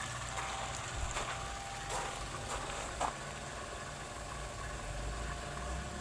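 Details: Sofia 15 kg spin dryer, motor noisy after the clothes agitation: low running hum broken by irregular clicks and knocks about once a second; cause not evident.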